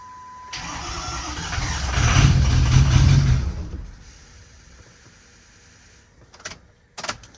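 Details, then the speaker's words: Ford 6.0 Powerstroke diesel bought at auction, fuel pump primed repeatedly, weak batteries on charger: starter churns steadily about three seconds and never fires; no low-pressure oil built up, so it won't start. "you'll notice we haven't built low pressure oil yet that's what we're struggling with"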